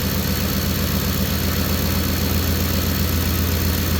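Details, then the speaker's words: Ford F-150 at cold idle, just started, charging about 14.4 V, after burnt fuel pump relocation wiring was found: steady, even low idle with no whine, squeal or rattle; the alternator, previously very loud and dry-sounding, now sounds normal. "now that alternator sounds normal to me the other day you heard it it was very loud"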